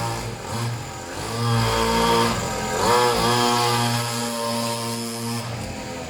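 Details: Serviced pit bike / mini moto two-stroke while its idle is set; crackly buzzy note rising and settling, runs steadily on its own; slightly smoky; normal idle.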